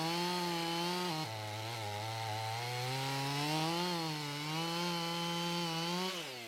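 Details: Strong steady howl that dips under load in the cut and recovers cleanly from a Husqvarna 55 chainsaw after carburetor gasket air-leak repair and retuning to about 13,000 rpm; pulls well and runs healthy.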